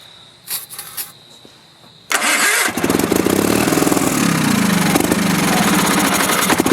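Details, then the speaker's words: Early-1980s Sears Craftsman FF20 garden tractor, possibly running on carb cleaner, with the choke partly closed: quiet clicks, then the small single fires and settles into a steady, slightly uneven run; normal running, though coil power is lacking (suspected stator or wiring). "Try closing the choke a little. You're a winner, Okay, run, good."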